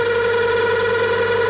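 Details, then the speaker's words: Lathe cut with massive tool overhang: loud, piercing scream holding one steady pitch during the cut, deliberately created tool chatter. "all right so the machine is going to scream at me but oh yeah that's horrible oh yep now she's"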